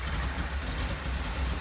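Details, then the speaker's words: 1981 Pierre Cardin Evolution 1 in shop: low, lumpy idle with uneven beat that never smooths; running rough and very rich, smoking out the shop. Distributor found very loose; rich running still to be chased down. "yeah it's actually staying running now but it's like poo we definitely need to chase down woo that is fat it's smoking out the"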